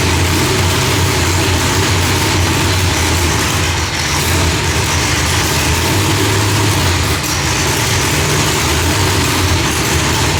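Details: Engine after Holley distributor setting changed from rising to falling edge ended fireballs, timing off about 6°: loud, deep, steady idle with even lope, no misses or pops; running cleanly.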